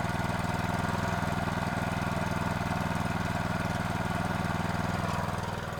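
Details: Honda GX120 water pump after cleaning and reassembly, fueled and with water supplied: even, regular putter at about four beats a second, holding steady and easing slightly at the end; runs cleanly. Owner reported it ran briefly then stopped.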